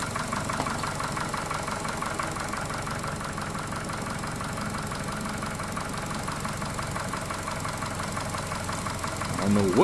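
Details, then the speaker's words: Chevy Cruze just fitted with a replacement engine after the old one threw a rod, smoking slightly from residual oil: steady idle with a faint light tapping about four per second; a light knock of unknown origin. "And I don't like that little knock too."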